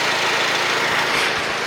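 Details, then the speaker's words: 2004-2008 Acura TSX at idle just after a new alternator replaced one with bad, screaming bearings that was still charging: steady, even hum with a smooth hiss and no whine or grinding; healthy idle. "Moment of Truth here money this thing has never sounded disquiet perfect"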